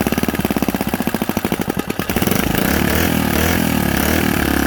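Small single-cylinder catches after a few pulls, fast choppy firing settling into a steady, even run on choke.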